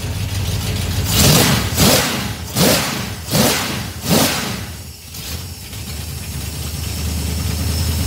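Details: Small-block 307 V8 with FiTech EFI, deceleration IAC set to +20. Five quick throttle blips, then the revs hang and sink slowly back to idle; this setting didn't work, so the return to idle is too slow.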